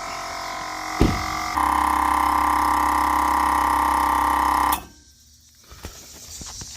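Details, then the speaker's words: Newly installed aftermarket air horn kit on a Chevy Silverado 5500HD: with key on, the electric compressor drones steadily for about three seconds pumping up, then cuts off cleanly at pressure; normal operation. "All right, now that it's all plugged in, we gotta turn the key on. Allow the compressor to pump up."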